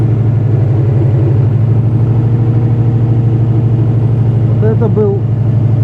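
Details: Subaru EJ205 cold start: steady lumpy idle with a quick regular knock underneath, suspected but unconfirmed bottom-end bearing; cold oil pressure almost 6, warm pressure now 1.6–1.7 versus 1.9 before.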